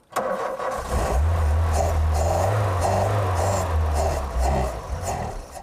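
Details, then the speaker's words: 1988 VW Golf Cabrio GTI: engine cranks, catches and revs roughly for a few seconds on starting spray, then fades and stalls; accelerator pedal stuck on the floor, faulty accelerator cable. "ENGINE STARTS THEN STOPS Oh, dear. The pedal's just hit the floor. Something wrong with the accelerator cable."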